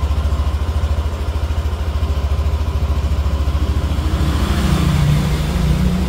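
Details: Yamaha NMAX Neo S on Castrol Magnatec 10W-40 oil, cold start after about 30 hours unused: steady low putter, revs climb slightly near the end; smooth, even firing, normal cold warm-up idle.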